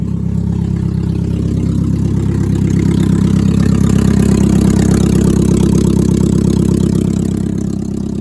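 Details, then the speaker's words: 1999 Mazda Miata NB, first start after sitting 8 years on old fuel. Deep, loud, even burble at idle with a raw blatty edge. A tiny exhaust leak is noted. Loud idle, otherwise running well. "I have a tiny little exhaust leak. Wow, that is so sweet, man. That's running really good."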